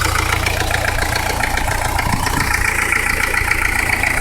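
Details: 1985 Peugeot 505 diesel (XD3), idling after hard driving: steady knock over diesel clatter about three to four per second tracking engine speed; rod knock, engine needs replacing.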